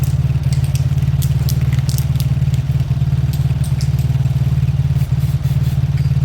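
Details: Old Lexmoto small single-cylinder motorcycle with missing parts, revived after carb cleaning, left idling five minutes to circulate oil: steady even low putter, regular beat, no knocks or misfires; normal idle.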